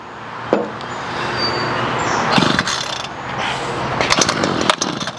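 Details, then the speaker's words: Ryobi CS26 two-stroke string trimmer, no start: fuel lines replaced, runs only on starting fluid, barking in uneven bursts then sputtering and dying; air, compression, timing and spark confirmed, so carburetor fuel delivery is at fault. "see how it runs and dies that's fuel"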